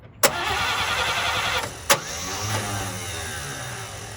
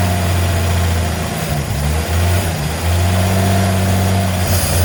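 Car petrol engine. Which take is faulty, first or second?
first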